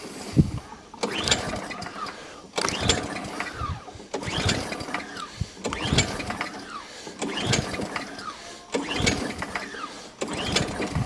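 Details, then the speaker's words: Atco Balmoral 20S mower, Tecumseh engine that fires but won't run, petrol in head, on choke, full throttle: seven slow pull-start cranks, ratcheting whirr, no firing at all; won't start. "just enough just a wet whistle that's all i want just to prove the case it doesn't start it'll probably start now"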